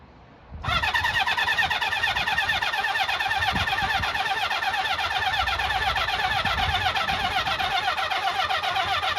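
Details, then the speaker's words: Honda CB400F Super Sport, off the road since 1983, first start after restoration: buzzy starter whirr about nine seconds with no firing, not revved, battery going dead; electronic ignition suspected. "It's not good that then, it didn't even fire anything. It could be that electronic ignition, I don't really know."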